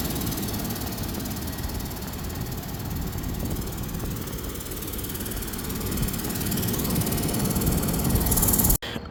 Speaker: All right, testing the alternator now after I got everything installed. Sounds different. It's not squeaking at least, but let's just see how it does.